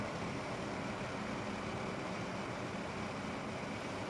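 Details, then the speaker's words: Corsair H100 liquid CPU cooler with pump adjuster set to low, 48.05 °C, about 5 degrees warmer than high; faint smooth even hiss, fans spinning quietly at low speed, no ticking, rattle or whine, much quieter; normal quiet fan running. "It is much quieter now. Much quieter."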